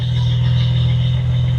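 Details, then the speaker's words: 1971 Datsun 240Z after restoration, first start-up, in neutral: a deep, even idle hum with no misses, pops or stumbles, sounding smooth like an electric motor. The carbs seem close to synced; a normal idle. "Dang. So, it really runs smooth. Um, sounds great. It sounds like an electric motor up here."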